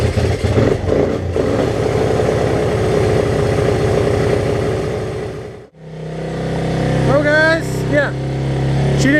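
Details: 1986 Honzuki 250cc carbureted quad after carburetor cleaning, fuel turned back on: single cylinder catches and settles into a steady low, even thump with no misfire or hunting; starts and runs cleanly.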